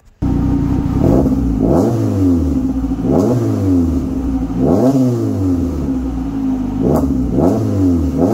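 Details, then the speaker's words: Saturn with new custom 2.5in exhaust with V-band, replacing straight pipe: repeated throttle blips rise and fall cleanly with a deep, smooth, even exhaust tone, no rattles or drone; healthy exhaust. "so yeah but i'm gonna let you guys hear it at least uh it sounds pretty good"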